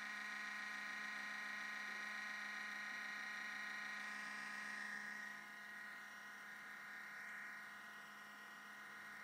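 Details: MacBook Pro making a thin, steady constant-pitch whirring buzz at startup; sometimes hangs at the blue screen before login, though the Apple store found nothing wrong; abnormal whirring noise.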